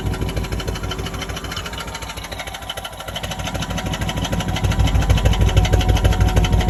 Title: 1936 Daimler Light 15, finally running… don’t like the ticking noise though. #daimler #prewarcars